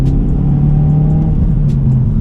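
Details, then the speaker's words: Mazda 3 after replacing ignition coil packs: deep even engine rumble building smoothly under full throttle with no stumble; clean acceleration, previously felt luggy. "it was just clean like beforehand it would feel like a little luggy and uh you know not as good but now it just feels like this thing's just running real clean here"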